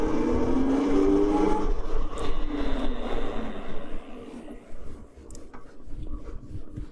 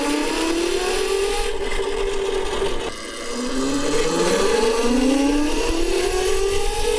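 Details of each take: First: CyberX e-bike passing by after half-belt conversion, one of two chain stages replaced, original sprocket kept: soft low rumble fading away, no chain clatter or whine; much quieter belt drive. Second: CyberX e-bike with the stock chain drive, flyby recorded on the camera microphone: a loud whining drone climbs in pitch as the bike passes and then fades. The chain noise comes from a worn front sprocket.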